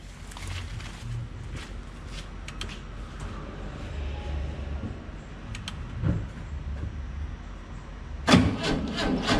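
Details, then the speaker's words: Almost 3-year-old NOCO GB40 jump starter on a carbureted VW bus that sat unused for about a month in cold weather: slow, labored, weak cranking for several seconds before the cold engine finally catches. "Fired it up. It was cranking a little weak. I'll admit that's not cranking over quite as strong as you'd want it to, but it got the job done."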